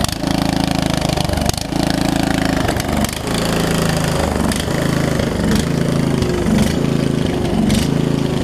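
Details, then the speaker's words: Murray widebody riding mower, single-cylinder engine, after sitting a few years, running on choke: chugs unevenly, speed stumbling and hunting instead of settling into a smooth idle; owner suspects too-small fuel line plus worn carb, possibly leaking needle and seat. "I think the fuel line is it's a mix between it's too little and the carb is probably a little too messed up at this point, so to speak, to run properly."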